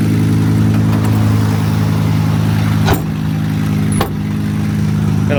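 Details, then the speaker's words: 2014 Ford F-350 6.7L diesel plow truck, 73,000 miles: loud rough idle with rapid ticking puff about two or three a second; exhaust leak probably both sides, needs exhaust manifold bolts and gaskets. "it definitely needs exhaust manifold bolts and gaskets done to it but as it sits here it runs and drives and it'll push snow"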